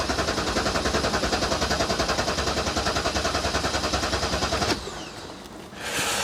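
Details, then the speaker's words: BMW 650 (E64) N62 engine, after the oil filter cover blew and it was driven 500 yards with zero oil pressure, new cover fitted: starter chug about 3.5 beats per second for nearly five seconds, ignition coils disconnected to build oil pressure, not firing. "so the plan is to crank it for quite a while with the coils disconnected so it doesn't fire up and then once oil pressure is built up we'll uh reconnect the ignition coils and off we'll go"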